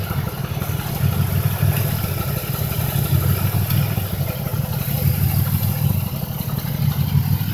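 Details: 2005 Impala 3800 V6 with code P0305: a low idle thrum with an uneven, stumbling pulse about every two seconds. Cylinder 5 misfire of unknown cause persists after replacing its spark plug, wire and injector; it began as a rhythm with no check engine light.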